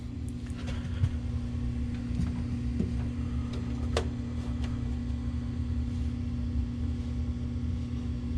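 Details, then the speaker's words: Coleman DGAA056BDTA furnace firing after new combustion blower motor install fixed three-flash combustion air switch error: even low burner rumble, steady motor hum, light ticks, no fire whooshing out around edges; normal furnace operation. "yeah you'll notice there's no fire whooshing out around the edges or anything like that"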